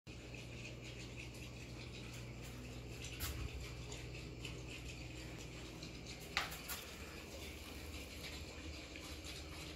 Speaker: that noise you hear is water gurgling below the pipe there's a very high water level at this particular home so as the fan is sucking air out it's also pulling some water up from below